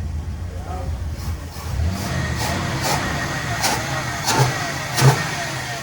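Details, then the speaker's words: 1961 Chrysler Newport after tightening several loose spark plugs, now noticeably better though the problem is not fully gone: the engine blips up and settles back cleanly several times with no miss or stumble. "it's better not gone but it's better I can tell it's better myself yeah yeah it is noticeably better"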